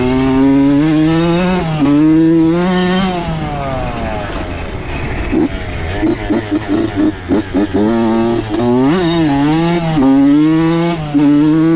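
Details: Honda CR80 two-stroke with Keihin PWK 28 carb, after replacing a spark plug the owner thinks was oil-fouled: crisp buzz rising and falling cleanly through repeated blips, with quick throttle response and no misfire. Healthy, though possibly lean.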